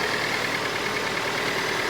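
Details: Datsun 510 after twin SU carb repair, left idling after jump start: steady, even engine note with no stumbles or misses; idling smoothly and healthily.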